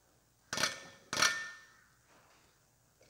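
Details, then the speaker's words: Bareco B16 aftermarket Perkins diesel injector for an MF135 tractor on a pop tester at about 2,800 psi: two sharp, ringing chirps, then a brief squeal. Normal chatter of fuel atomizing, good spray pattern, no nozzle leakage. "and can you hear that chirping that that chirp just going slow that's the fuel atomizing that's what you're looking for"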